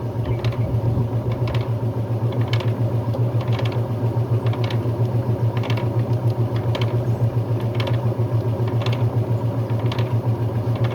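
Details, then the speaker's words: Brastemp Luxo Plus washer missing its tub rubber, during spin: even rhythmic swish about once a second with low hum and a light rattle from a loose part; spin cycle judged normal. "Eu acho que para mim tá normal. Tem um barulhinho aqui, mas é é o negócio que tá solto aqui."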